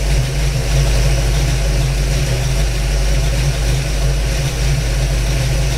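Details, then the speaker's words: 1992 Ford Fox Body Mustang LX 5.0 302 with Comp Cams XE266HR camshaft, dyno tuned, just started: lumpy, choppy cammed idle settling out, staying running with the idle air control valve unplugged; base idle adequate. "you can hear it's starting to settle itself out now"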